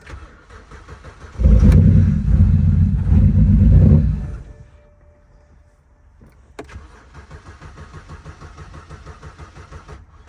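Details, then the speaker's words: BMW E82 drift project's first start after replacing burnt wiring connectors: long crank, it catches, then settles into a weak, uneven, lumpy idle that sounds like misfiring. Rough idle, cause not confirmed. "Y'all can see we got the car running. It ain't running the best, but it's running on its own power."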